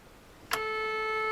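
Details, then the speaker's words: RCA Victor 12X2 tube radio after full recap, power-on test with a signal injected at the output tube and speaker, radio off: clean steady mid-pitched tone with no crackle or hum; output section works. "okay and you hear that sound that means that the output tube and the speaker uh the whole output section is working fine"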